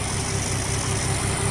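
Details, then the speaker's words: 1962 Ford Falcon with a freshly installed replacement engine (old one developed rod knock) and new oil: smooth, even low idle with a faint valve-train tick that can be tightened. No knock, and the muffler is audible; a normal idle. "No more knocky sounds. Now I can hear my amazing muffler again."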